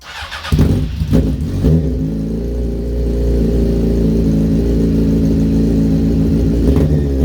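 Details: Motorcycle ("the Punisher") with lithium battery recharged for a couple of hours after reading 10.8 V: ignition on, choke out, cranks briefly, catches and settles into a steady, even idle on choke. Normal cold start and idle.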